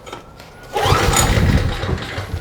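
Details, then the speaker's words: Trash-picked 2005 Craftsman 5600-watt generator, 10 HP Briggs & Stratton 204412-0147-E1, fuel shutoff valve checked: a rough pull-start churn that dies without catching, cranking with no start. The owner thinks fuel is reaching it and suspects carburetion. "No, I think we're getting gas. I think we're just dealing with carburation."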